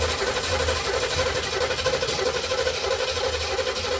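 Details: 1976 Olds 455 big block with 400 Turbo in an '84 Blazer/Suburban, sat about 155 days, roughly 70°F; sluggish dragging crank at about ninety turns a minute without firing, weak battery about to die.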